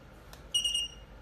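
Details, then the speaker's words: iPhone battery tester, manufacturer check button pressed: short run of high, evenly spaced beeps, the repeated-beep pattern meaning a self-assembled battery with original components, not 100% original. "If it began to beep beep beep, it means this is a self-assembled battery with original components, but it's not 100% original."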